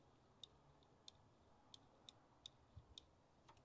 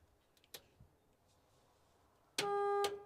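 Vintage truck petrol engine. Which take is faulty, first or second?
first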